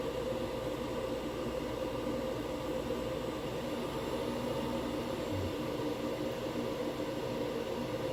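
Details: Diesel heater installed indoors on a Chinese power supply with battery backup, after shutdown: a steady, airy fan rush with a faint hum and no burner roar as the fan purges leftover heat and the exhaust cools; all normal.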